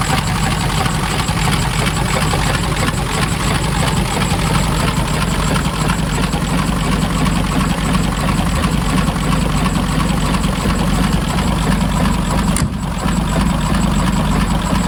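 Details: 1923 Cadillac Model 61 flathead V8 tow car, running a little better after repair work: low, even idle with a soft, quick patter and no heavy knock, running steadily; normal idle.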